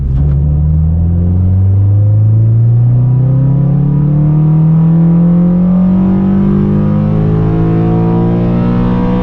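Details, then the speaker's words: 9th-gen Honda Civic Si with a new Acuity cold air intake, on a data-logged full-throttle pull on flat road with the fender liner still off. A deep, very loud roar climbs smoothly with no misses or rattles. A healthy intake roar. "dude that intake that is very very loud and sounds so good oh yeah oh man that sounds really good i love it"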